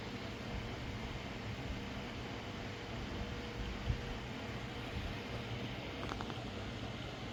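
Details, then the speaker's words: Repaired GTX 1050 Ti 4GB graphics card on benchmark with fan set to maximum: steady even whoosh, no ticking, scraping or wobble; cooling fan running normally. "ठीक है, fan भी ठीक घूम रहा है।"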